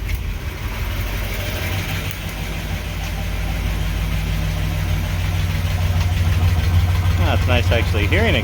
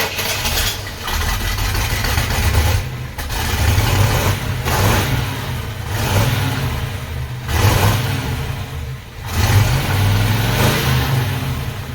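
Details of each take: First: 1968 Pontiac Ventura after replacing the original factory exhaust with new pipes and a Thrush turbo muffler: deep, even burble from the tailpipe swelling smoothly as revved; sounds healthy, though a possible small leak is suspected. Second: 1968 Pontiac Ventura, original factory exhaust rotted and barely hanging on, filling the cab with fumes, before replacement with new pipes and a Thrush turbo muffler: repeated throttle blips give a harsh, raspy roar with ragged idle between; exhaust leak.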